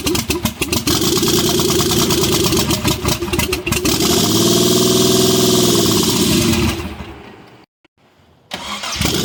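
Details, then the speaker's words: Mitsubishi 3000GT VR4 after rebuild (forged bottom end, billet twin turbos, MAF swap, big oil cooler, big FMIC): brief crank, fires and settles into steady even idle before shutting off; healthy. "ooh that sounds pretty good yes it does yes it does"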